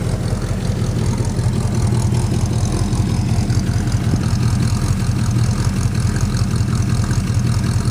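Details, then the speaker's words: Plymouth Suburban wagon, carb rebuilt, new distributor, ignition module, ballast resistor, regulator, plugs, wires, cap, rotor, coil: lumpy idle with occasional irregular pops, intermittent misfire; owner suspects an intake manifold/air leak, unconfirmed; exhaust leak present. "idles decently but every once in a while it pops"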